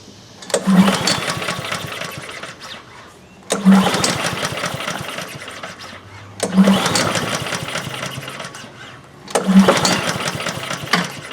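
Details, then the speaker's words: Honda HRN216 lawn mower with GCV170 engine, with fuel in the tank, fuel valve open and oil checked; four recoil pulls, each a short whirring burst that dies without catching; cranks but won't fire; cause suspected, not confirmed. "It has gas. The gas valve is open. I checked the oil. Just see if it'll start."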